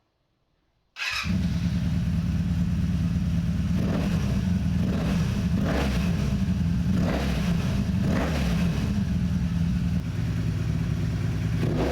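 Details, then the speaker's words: 1984 Honda Interceptor VF500F after rebuild following a blown engine: starts right up, smooth idle around 900–1,000 rpm with sharp clean throttle blips, instant response, almost no valve noise; small water pump gasket drip noted. Normal revving. "And the throttle response is instant. Hopefully the camera can pick up the audio good, but this sounds nasty."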